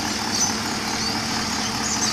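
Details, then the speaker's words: Holden Commodore VE SS at 150,000 km, just after routine replacement of spark plugs and NGK 8mm leads with covers back on: soft, steady, quiet idle hum with an even rhythm and no knocking or ticking; normal idle. "you can see it's a bit quieter, or you can rather hear it's a bit quieter, but I had a lot of loud exhaust and all kinds of engines before, but at my age I think I like the quietness of this car, so yeah."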